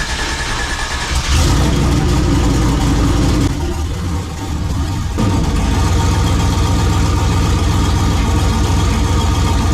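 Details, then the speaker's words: AWD turbo race truck with new fuel injectors, fired up and warming: deep, even engine rumble with one brief throttle blip, steady and smooth. The trans brake and reverse work. "Call that a success. Trans brake works. Um, reverse works."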